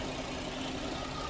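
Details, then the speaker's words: 2010 GMC Acadia 3.6 L, sat two years, after replacing timing chains, sprockets and VVT actuators (right bank intake cam had been out of time): first start shows even idle with hiss, no ticking or chain slap; smoke likely spilled oil on the catalytic converter. "Yeah, she sounds pretty good, I think."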